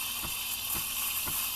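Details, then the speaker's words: Breville Barista Express steaming oat milk: a steady bright hiss with soft regular ripples about twice a second as the steam tip is raised just to the surface. This is correct stretching. "listen for that hissing sound that's the sound you want it's basically just getting the tip slightly up above there"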